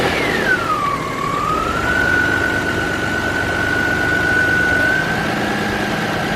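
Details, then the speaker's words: 2000 Nissan Maxima GLE that stalled on startup, after throttle body cleaning: it starts clean, a brief high whistle settles into a steady idle that lifts slightly and holds smooth. The idle air control valve is working; normal start and idle. "there we go and if you heard that just a second ago the idle kicked up a little bit which means I know that idle air control valve is doing its job"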